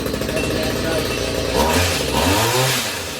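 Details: Stihl HS45 two-stroke hedge trimmer after clearing clogged spark arrestor and cleaned carburettor jets: buzzes at high idle, picks up briefly with throttle and settles back smoothly; normal running.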